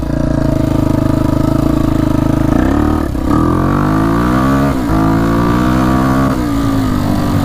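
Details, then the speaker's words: 1999 Honda XR250R single-cylinder dirt bike, rebuilt top end after being underwater, warming up: light tapping tick through the exhaust at idle and blips, one valve found far too loose; ticking gone after adjustment. "Alright, we found the culprit of the ticking. That valve was really, really loose. All the other ones are fine."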